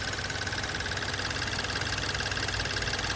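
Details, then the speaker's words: 2014 BMW X3 N20 turbo petrol engine at cold-start idle with a light, uneven metallic rattle three to four times a second; owner suspects play in the wastegate actuator arm, and a drivetrain malfunction message is showing. "tell me how you think that sounds there's definitely a little play in that turbo uh actuator arm"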